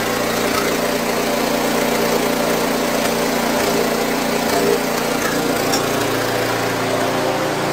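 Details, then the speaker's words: Snowblower with an electric start, refilled with new gas in late September after pre-season checks (oil level good), started with fuel on, now an even, steady small-engine putter at constant speed with no stumbling, hunting or knocks; normal running. "I'm going to let this run a little bit and then we're all set to go for the season yay oh"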